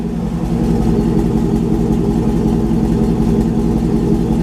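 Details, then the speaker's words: Engine idling after maintenance: Lucas oil added, new spark plugs (old ones burnt), new filters and a cold air intake; steady, even low idle with no knocks, misses or ticks, running really well. "oil is in we threw some lucas oil in there spark plugs are changed filters change so she sounds really good idling really well"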